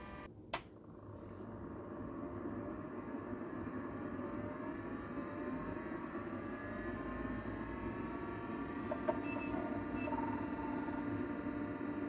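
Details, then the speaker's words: 1985 Atari SH204 20 MB external hard drive powering on: loud fan whir like an airplane, faint beeps and rising tones as it initializes, no clicks or scraping; normal spin-up. "wow sounds like an airplane taking off at least it's the fan is spinning you could hear it beeping it's reading or at least it's uh it's initializing"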